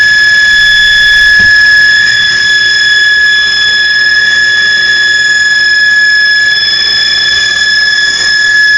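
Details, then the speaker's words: Refrigerator: loud steady high-pitched squeal at one unbroken pitch, a week after first reporting it; cause unknown. "this thing is making this kind of noise that don't woke me up"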